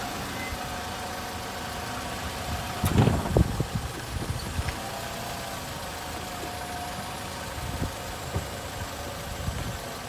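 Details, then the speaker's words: All-wheel-drive Nissan Rogue lifted, wheels spinning in neutral and drive: steady droning hum with mid-pitched whir from a worn wheel bearing; which bearing is unclear since all wheels turn together. "so as you can see it's not easy to find which bearing is making the noise"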